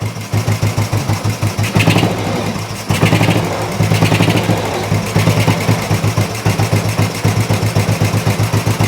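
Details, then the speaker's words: Old Royal Enfield 350 single after long storage and carb work, not yet fully warmed up: even, steady settled idle thump, no knocks or misses; running cleanly and sweetly, normal idle, not much wrong. "engine sounds really really sweet yeah obviously we'll get it up to temperature properly when we have a ride on it I don't think there's much up with that"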